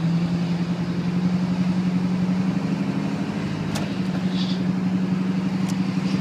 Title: 7.3 turbo makes loud noise when cold, any ideas